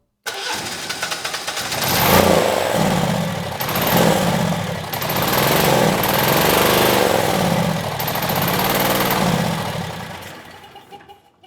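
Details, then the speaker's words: Generac standby generator (model 0058751), 999cc engine: catches and runs but surges and sags, won't reach speed even at full throttle, seems to need choke; owner suspects vacuum leak from removed choke through-hole. "Interesting. So, it's not getting up to speed even with full throttle. It seems to need choke, but let's try it a few more times."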